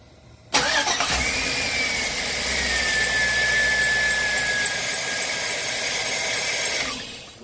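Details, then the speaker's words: 2003 Chevy engine running before the belt and tensioner work: a thin, steady high squeal sags slightly in pitch and holds for several seconds. Accessory belt squeal, cause suspected, not confirmed. "what's the problem now squeak all right well let's get the belt squeaking and see if we can't get that"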